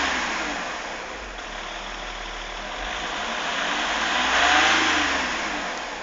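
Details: Engine revs up and falls with a hissy, rushing edge on top; a noise appears when accelerating, cause unclear.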